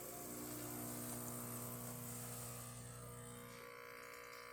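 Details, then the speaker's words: Profitec espresso machine after full service with a brand-new pump, the old one having failed from scale: a steady, low buzzing hum holds through the shot with no sputter or labouring; normal pump operation, unlike the dying pump's sound. "There you go. And you can hear the sound. It's not the sound we had previously with the dying pump."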